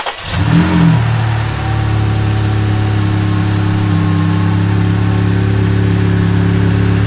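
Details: 2018 Jeep Wrangler JLU Rubicon, first start after a turbo kit install with new injectors, new fluids and an HP Tuners base tune: brief crank, then a steady, even idle with a smooth low drone and no knocks or misses. Normal idle.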